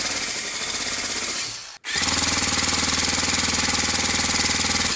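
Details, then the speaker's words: Model four-stroke glow engine, new piston ring, turned by an electric starter without carburetor: steady whir with strong, even compression pulses about four per second, much better than before. Normal cranking compression. "here I'm using the starter to rotate the crankshaft on the engine that sounds and feels a whole lot better"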